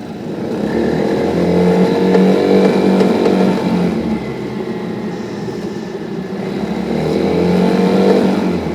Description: Beim Beschleunigen nagelt der Motor